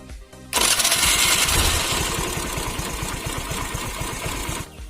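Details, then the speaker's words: Scooty Pep self-start repair: starter motor opened and fixed; cranks and catches at once, steady even putter; starting works normally, problem solved. "Now put back the filter in its place... before that, lets see if scooter self starting or not..."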